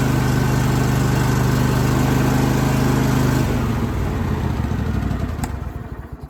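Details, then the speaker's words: John Deere L130 mower after muffler replacement (part GY21132); steady, even engine note without exhaust rasp, much quieter than before, then shuts off and spins down smoothly; slight steam, probably from new coating. "That's so much quieter than it was. I'm definitely happy that that's fixed now."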